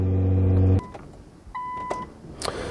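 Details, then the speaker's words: R35 Nissan GTR with aftermarket air suspension, at car startup: after the engine fires, three short sharp hisses about half a second apart. This is the normal automatic air tank drain purge that runs on every start. "you can hear then on Startup it does a three pulse Purge which just that's just linked to the drain on the the tank"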